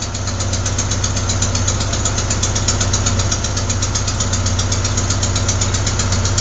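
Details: Crisp, even puff-like ticking at idle, a few beats per second, not a deep knock; not lifters or rocker adjusters but a leaking exhaust manifold gasket at cylinder 4, which replacing the gasket should fix.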